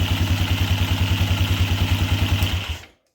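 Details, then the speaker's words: 2006 Polaris Phoenix 200 after starter replacement: small single-cylinder idles with an even, steady putter, no knocks or misses, then shuts off cleanly; starts "like butter", normal idle. "Alright, key on, parking brakes on, starter. Look at that."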